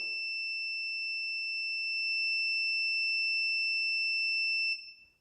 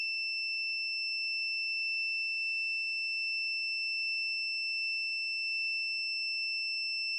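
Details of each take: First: Electric dryer that stopped working and won't start, thermostat tested for continuity while heated: steady high meter beep holds, then cuts off cleanly as the part heats and opens; thermostat opens when heated, normal. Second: Electric dryer that got hot and stopped: continuity tester beep holds one steady high tone while the thermostat is heated with a lighter, never breaking; thermostat stuck closed.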